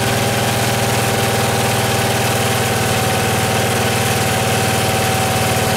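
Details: Small engine after cleaning, carb slightly out of adjustment and still being fine-tuned, started without choke: even, steady putter at a fast idle with no misses, surging or knocks; starts and runs cleanly.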